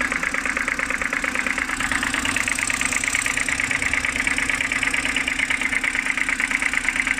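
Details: BMW N52B25, cold morning idle: steady rapid ticking knock about two per second, even over the engine note, seemingly from the oil filter housing side; cause unclear.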